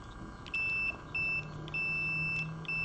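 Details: Multimeter continuity check on an early-90s Mercedes W124 window switch with alligator clips on the common and down pins: steady high beeps about half a second to a second long as the switch is worked, confirming the down contact conducts while up stays silent.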